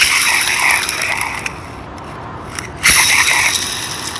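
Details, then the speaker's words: Road racing shifter kart rear axle bearing, spun by hand after cleaning: gritty, scratchy hiss with uneven rasping over faint traffic; rough bearing, likely from sand ingress after off-tracks, needs replacing. "to me just does not sound like a good bearing again there was a big actually a couple of off tracks where I dropped the wheel or two at the last race were at and there was a tremendous amount of sand at the racetrack and I think that probably got in their trash those bearing"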